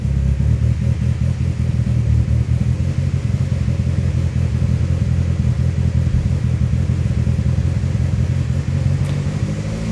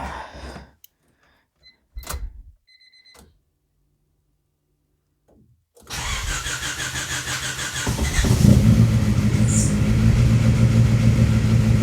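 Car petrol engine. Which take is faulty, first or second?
second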